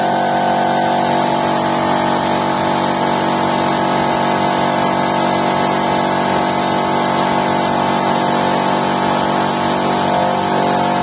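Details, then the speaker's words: Air compressor with 2.2 kW electric motor, previously humming without starting and tripping the breaker, now repaired: restarting under pressure after pressure release, even steady hum and regular pumping beat, no stalling, working properly. "вление сейчас Компрессор работает Согласно своим техническим требованиям мы вам это продемонстрируем"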